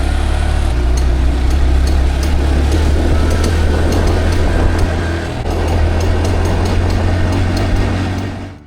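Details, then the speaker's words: Small single-cylinder motorbike nearing the end of a 43,600 km ride from Thailand to the UK, cold snowy weather, under way: light, quick ticking about four per second over the steady drone; cause unknown. "I didn't know what that sound was, but the ticking on the bike was a time bomb. And so close to home, this was not looking good."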